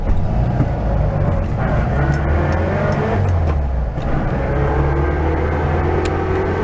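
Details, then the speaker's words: 1974 VW Super Beetle transmission, noise worsening for years, before swap to a rebuilt unit: steady drone on the move with faint tonal whine over road noise; loud transmission whine, main bearing suspected. "So there's a rather loud, pronounced whine that it has, which I believe is probably going to be the main bearing."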